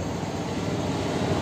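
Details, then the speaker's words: TVS Apache RTR 160 BS6 before repair: rough uneven idle, rpm won't hold steady, heavy missing and jerks, stalls when throttle released or clutch pulled; cause found as dust-filled dirty throttle body. "जो RPA मैं एक दर पे रुक ही नहीं रहा मतलब बहुत ज्यादा मिसिंग कर रही बाइक झटके ले रही है क्लच दबा लो बाइक बंद हो जाती है"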